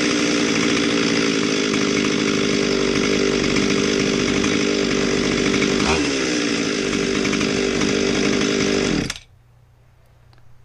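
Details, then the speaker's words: Husqvarna 257 chainsaw that wouldn't start, first run after fuel line and trigger repair: holds a fast, steady high-pitched buzz with no throttle changes, then cuts off; idle speed running high. "at first i was kind of nervous there it was running pretty fast at idle"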